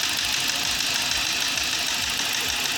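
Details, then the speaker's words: BMW E46 with N42/N46 Valvetronic engine, first start after repair of oil-fouled plugs, burnt coils and loose timing chain: steady idle with hiss and faint quick ticking; Valvetronic adaptation suspected needed, not confirmed. "le canard a démarré , mais il y a un bruit sourd, il faudra probablement adapter la valvetronic, lepanie."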